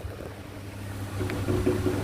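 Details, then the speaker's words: Sharp electric fan, fairly new, running on speed 1 and reported noisy: low steady motor hum with faint uneven knocks and scrapes, as if something is rubbing inside; cause not yet found, rear housing removed for inspection. "นี่นะเนี่ยมันน่าจะดังอย่างงี้เนี่ยมันเสียงดังงี้เหมือนอะไรคอนอยู่ข้างในนะครับ"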